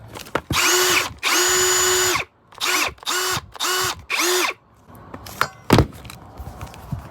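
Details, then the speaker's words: Ryobi and compact Matebo cordless drills compared one after the other. Six short trigger pulls, each a clean whine that ramps up, holds steady and winds down; both sound exactly the same. Normal drill operation. "Here's the Ryobi. Here's the Matebo. They sound exactly the same."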